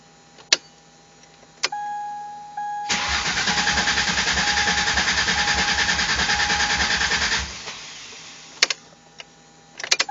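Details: 1999 Mercury Cougar swapped from a 2.5 V6 to a 2004 Taurus 3.0 with new injectors wired in: starter cranks steadily for about four seconds at roughly three compression pulses a second but the engine never fires; crank, no start.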